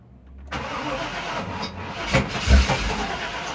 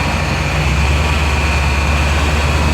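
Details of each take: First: 2000 Chevy Tahoe LT 5.7L crank-no-start: starter cranks with an uneven, lumpy compression rhythm and never catches, because the distributor is out of time from shaved gears. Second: 2000 Chevy Tahoe LT 5.7L after distributor timing set to zero degrees (spec ±2), idle raised to about 1000 rpm: smooth, deep, even drone with no misses or knocks; a normal fast idle after repair.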